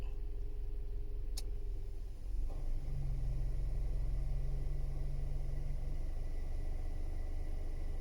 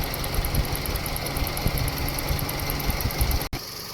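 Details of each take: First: Toyota Vios, 260,206 km, parked in sun, engine idling: steady low howl over cabin rumble from the AC evaporator unit while the AC compressor runs, heard clearly inside the cabin; evaporator is a non-original replacement, system leaking, compressor getting noisy. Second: Toyota Vios at 260,206 km after AC repair with Denso parts, leaking condenser, refrigerant recharged, tested in sun: smooth idle with AC compressor and condenser fan running evenly, no knocks or squeals; cabin vent about 3.4 °C.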